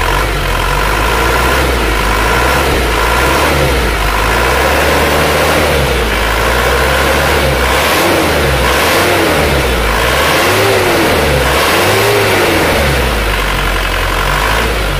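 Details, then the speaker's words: Isuzu Panther diesel after nozzle setting at 180, valve adjustment and manual injection-pump timing correction before fuel-delivery correction: revs up and settles with steady even beat, no longer dry or harsh, smoother, normal diesel running. "ini sudah kita Munculkan timing nya kalau kita dengar suaranya ini sudah enggak kering lagi"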